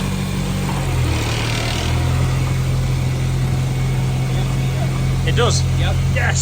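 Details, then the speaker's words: 2001 Civic, 300,000 miles, with a K24A swapped in and converted from auto to manual, on its first start: it catches, blips once, then settles into a smooth, even idle with no knocks or misses. Issues noted are the O2 heater and an O-ring leak under the intake manifold. "Yes! It sounds good, doesn't it? Yes, responsive. Yeah. That is pretty damn good."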